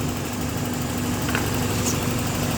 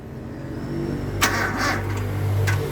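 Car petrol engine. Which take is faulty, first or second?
second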